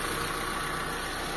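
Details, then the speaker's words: Carbureted Mitsubishi Lancer "pizza" after carburetor cleaning and tuning, and wiring repair for heating with A/C on; previously hard starting when warm: smooth, even idle hum with no misses or stumbles; normal idle. "So ngayon hindi na mga bossing, okay na siya. Ito na natin na maganda mga bossing."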